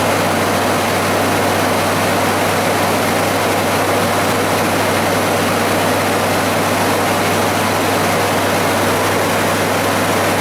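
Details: 1994 Ford F-150 5.0 V8 that had stuck on fast idle and was hard to restart hot; steady low hum with an even rhythm, no surging, settled to a normal warm idle.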